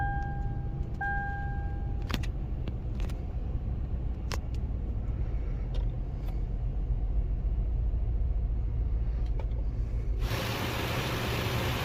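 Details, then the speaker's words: Lexus with engine overheating issue, started with brake pressed: engine catches after a couple of chirps and settles into a low idle with a slight uneven stumble, a mild misfire present from start-up. "So ഇപ്പോൾ ഉള്ള ആ missing നിങ്ങൾക്ക് മനസ്സിലായി എന്ന് വിചാരിക്കുന്നു."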